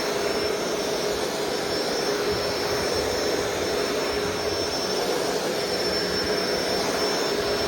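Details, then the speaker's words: Shark Rotator DuoClean Powered Lift-Away: constant high motor whir with a thin whistle; brush roll slows when put to the bottom and spins faster when put back up, a brush roll speed change. "You can hear the buckles kind of stop. Well, it slows down. But you can see whenever I put it back up, it starts spinning faster."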